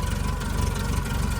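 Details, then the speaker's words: 2010 Doosan propane forklift, 3,353+ hours, with starting issues and a new vaporizer/regulator: low, lumpy note that shakes and surges at idle while the regulator mixture screw is turned; mixture suspected, and it improves once adjusted. "And the whole engine is like shaking. So, just turn that screw left or right. And that does that. Something with the fuel mixture, I think."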